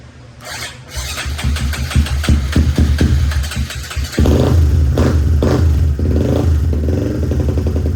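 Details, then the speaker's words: Big-bore Honda Grom single-cylinder, reflashed with added idle fuel after reading about 16 AFR (way too lean): revs hunt and surge unevenly, won't hold idle. "it does not want to idle that's for sure"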